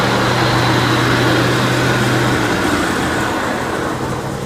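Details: John Deere 190C (100 series) riding mower after PTO clutch replacement and new battery, blades engaged; steady single-cylinder thrum pulsing three to four per second, runs smoothly under blade load.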